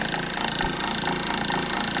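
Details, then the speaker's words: Old RV 12V water pump on test after priming attempt: even fast buzzing chatter, motor spinning freely, no water flowing; owner suspects motor failed, unconfirmed. "i just don't see any water flowing"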